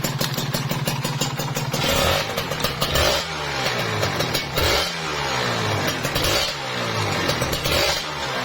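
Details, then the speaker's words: Kawasaki Ninja RR two-stroke after repair for engine knock and a whitened bore: crisp blips rise and fall cleanly with no slap on the rpm drop, where a loose piston would clatter; it sounds tight. "Itu kalau misalkan ada longgar, wet, pas kendor, ter gitu ya, seperti itu. Ini nggak ada halus, ini padat, mantap ya."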